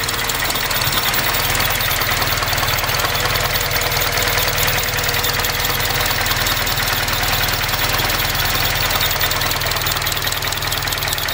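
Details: 2005 Acura RSX: steady idle with a hard, uneven knocking pulse about twice a second; rough idle, cause unclear.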